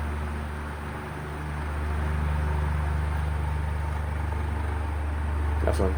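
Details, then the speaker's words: Electric fan plugged into an indicator-light outlet after an earlier stuck-up shorting repair, loud steady low buzz with shaking throb from the rear of the motor housing; the capacitor is to be replaced to see if the vibration stops. "siya nanginginig niung kamay ko kung naririnig niyo yung vibration medyo malakas"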